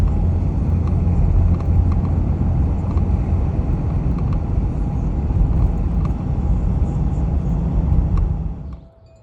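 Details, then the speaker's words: 2020 Jeep Gladiator Rubicon JT driving: under road and wind rumble, faint irregular plastic ticks and chatter from loose door mirror cover, plastic on worn tabs; fixed by taping gaps with electrical tape. "if you are hearing that sound, this is where it's coming from. It's not like a loose mirror here. It's not air coming in, with this. It's not an issue with that seal there. It is actually the mirror itself."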